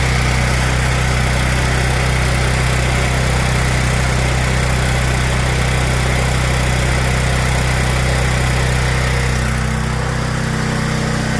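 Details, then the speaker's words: Small generator engine that surged, after fixing a carburetor idle jet problem blamed on ethanol fuel: holds a steady, even idle with no hunting or surging. "there we go we got it back up and running as I suspected it turned out to go and be the idle Jet"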